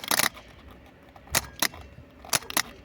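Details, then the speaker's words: Opel Astra G 1.9 CDTI automatic that will not start: a few sharp dry clicks with no motor whirr. The starter turns when powered directly, but through the solenoid it only clicks, indicating burnt solenoid contacts; the starter is being replaced. "щолка а він не крутиться хотя якщо подати плюс на самий цей Стартер крутить"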